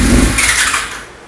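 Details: 1999 Yamaha R6 first start after engine rebuild with new cases, pistons and transmission: short crisp rev blip falling cleanly away, no knocks or rattles; engine sounds healthy.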